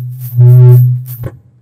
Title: 430. Mengatasi Suara Nging (Feedback) Google Meet ~ Mode Pendamping